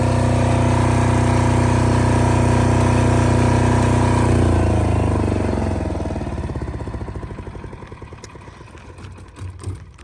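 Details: Multi-power diesel generator (generator only, not a welder, about 5,500 watts), started about 5 or 6 times: smooth, even drone for several seconds, then shut-off and even chuff down to a stop; normal running.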